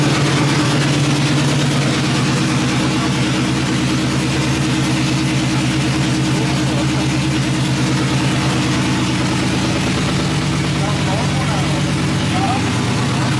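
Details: Truck V8 after exhaust leak repair and new head gaskets, recorded from outside: even, deep idle rumble without ticking or puffing at the manifold, exhaust sealed; some smoke noted afterward. Normal idle.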